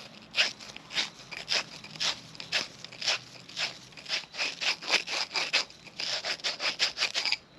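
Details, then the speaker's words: 1940 Harley-Davidson UL 74 flathead oil feed pump, plunger seat being lapped with grinding compound: repeated short gritty scrapes about twice a second ease off toward the end as the seat beds in and the sound quiets. "maybe you can hear the noise and then it went away it's quieter now"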